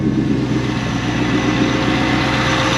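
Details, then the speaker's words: C5 Corvette after both belts were replaced, before the A/C is switched on or Freon is added, out of gear at idle: smooth steady low rumble with no squeal, chirp or flapping from the belts or pulleys; normal idle. "take it out of gear okay so right off the bat i don't hear any squealing"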